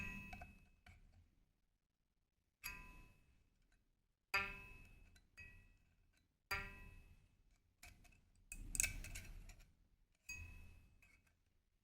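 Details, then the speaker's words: Shruti box G reed after repair: short clear pings ringing cleanly with no buzz or rattle; the buzz came from the reed tongue touching the surface, fixed by straightening the tongue from both sides. "now the tongue is just straight and making normal sound"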